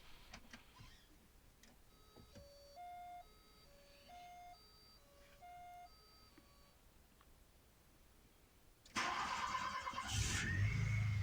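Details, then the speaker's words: 1986 Volkswagen Cabriolet cold start after sitting unused a while: door chime, labored crank, engine catches and runs unevenly, stalled about three times; hard cold starting, otherwise runs fine, cause unclear. "now I'm going to show the uh the hard starting portion and this is to kind of demonstrate the fact that it died like three times"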